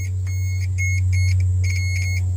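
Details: Multimeter continuity check on the horn button wiring of a 1988–89 Jaguar XJS 3.6: short, sharp high beeps in quick bursts over a steady low hum. The button shows continuity, although the beep is weak.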